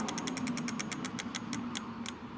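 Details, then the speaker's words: Lectric XP 4.0 e-bike, wheel turned by pedals: freewheel clicks slow steadily as it coasts with no motor hum. "So I'm gonna try that again, but I'm just gonna turn the wheel slightly with the pedals, and you can hear how quiet it is now."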